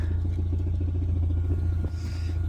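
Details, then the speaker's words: 1992 Volvo 460 turbo, hard to start after sitting, idles with a low rumble and quick steady metallic rattle underneath from a worn exhaust mount needing replacement. "I also need to get an exhaust mount for the underside. You hear that rattling away."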